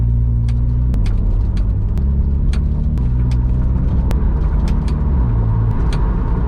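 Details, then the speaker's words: Toyota GR86 while driving: road rumble with sharp, irregular taps about every second from the rear right (passenger-side) suspension; all bolts torqued to spec; owner suspects the aftermarket coilover's rear construction; suspension cover rattle. "So, uh I've got a rattle in the rear suspension area on the um passenger side, the right hand side."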